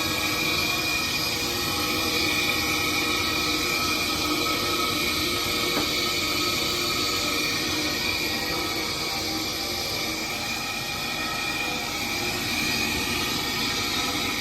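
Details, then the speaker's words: Gas furnace with no heat, pressure switch stuck open code: inducer fan runs with a steady whirring roar, high whistle and rough hum that never settles; noisy inducer fan motor assembly, pressure problems suspected, not confirmed. "Definitely got some pressure problems here with this inducer fan motor assembly. Definitely something funky going on with that."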